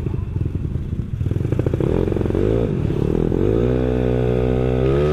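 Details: Yamaha Mio scooter built to 200cc, first ride at night after rebuild: uneven putter at low revs, then smoother rising note as it pulls away; runs rich and stumbles at the bottom end.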